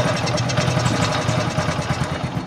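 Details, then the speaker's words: Honda CT125 motorcycle engine idling noisy and grinding: rough idle with gritty grinding chatter pulsing with the engine; top-end camshaft bearing found crushed, confirmed rough when turned after removing timing sprocket; worn camshaft bearing. "Saraan nito pagka ganito mga idol ay camshaft bearing. Yung nga dito sa taas ay durog na yung bearing niya."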